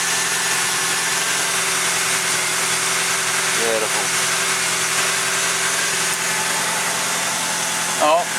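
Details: Toyota Tarago/Previa (TCR10) after reinstalling the separated accessory drive shaft: smooth even idle with steady hum; the earlier rattling and screaming is gone.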